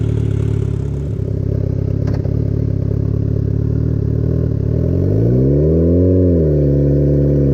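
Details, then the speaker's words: Turbo crosskart with about 300 hp turbocharged Hayabusa engine on short test drive: revs fine in neutral but the note wavers and stumbles at high revs under load; breakup under load. "it sounds good but when it's on a neutral aid their engine sounds good it revs good but when you drive it on the high revs it started like blah blah blah blah blah and I guess when there is a like load on it it starts doing no ice"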